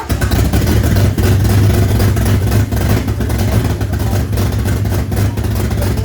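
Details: Barra engine swapped into a GU Patrol, first start after wiring and ECU setup: loud, lumpy idle with an uneven, stumbling beat and occasional clattery surges; runs rough with misfire and idle issues, cause not yet clear.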